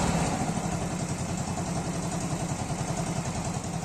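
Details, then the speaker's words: 110 cc Cub-type single-cylinder motorcycle with a new carburetor (main jet 76, pilot jet 35) putters along at a steady cold idle before warming up, with an even beat and no misses or knocks. Normal idle, running better than before. "but the truth is that it feels impeccable much better even than how this bike was previously running"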